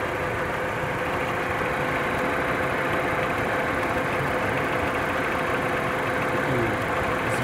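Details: Warm 2002 Audi A6 C5, 1.8T AWT petrol, 226,000 km, idling with a fast, dry crackling tick over a steady hum from the top of the engine. It is loudest at idle and present since purchase despite oil changes. Owner suspects the chain tensioner; others suggest valves or lifters.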